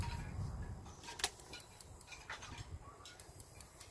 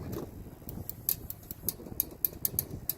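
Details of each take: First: Toy hauler RV refrigerator on gas: igniter clicks sharply about twice a second with no flame catching before the control module times out; check for 12–13 V DC on the two module wires to the gas relay while it clicks. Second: Toy hauler RV refrigerator relay clicking on with 12–13 V DC signal from the control module: sharp light repeated clicks over low rumble, relay pulling in normally; no click with 12 V present means a bad relay.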